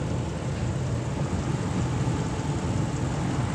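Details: 2006 Ram 1500 4x4, 5.7L Hemi V8, warm idle after a Gates water pump replacement: deep, even, smooth rumble, no knocks, ticks or whine. Sounds healthy; thermostat cycling 190–208 °F and opening, good flow, upper radiator hose warm, no more air bubbles.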